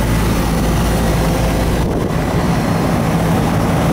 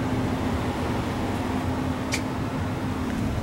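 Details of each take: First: Older Carrier central AC condenser, one of two not cooling a house, after rewiring herm, fan and common leads; steady low drone of compressor and fan, no buzzing or clicking, holds even then settles lower, running normally with superheat on target. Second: About 25-year-old central AC outdoor unit not cooling, indoor fan working and filter changed: steady low hum with no run-up, compressor trying but failing to start; suspected bad capacitor, not yet checked.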